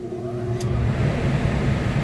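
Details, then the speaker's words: Mastercool mobile evaporative swamp cooler after fan speed switch replacement, tested with the pump off on high speed: deep, loud, steady whooshing airflow, noticeably noisier than low, the fan working normally. "you can tell that's the high speed, how noisy it is."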